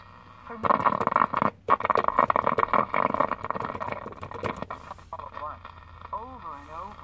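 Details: 1967 GE clock radio after resoldering suspect cold joints: station audio comes through clearly, then whistling tuning squeals as the dial moves; set receiving and playing normally.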